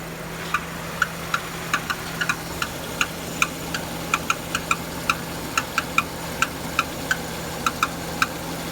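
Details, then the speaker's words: Renault Duster 2.0 F4R, DP8 automatic, AWD, 80,000 km, warm after 5-10 km (silent cold), idling; intermittent metallic taps from below, loudest near the wheel, fading with a little throttle; owner suspects flywheel. "Вот это Начинает появляться вот этот звук чуть газа даёшь Он исчезает сверху так не слышно он идёт снизу гдето а лучше всего слышно около колеса"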